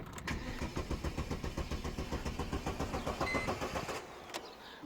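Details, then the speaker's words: Mercedes A-Class W168 A190 petrol, fault code P0335 (crankshaft position sensor, no signal): the starter cranks at an even pace but the engine never fires; cranks but won't start. "comme moi que le véhicule ne démarre pas"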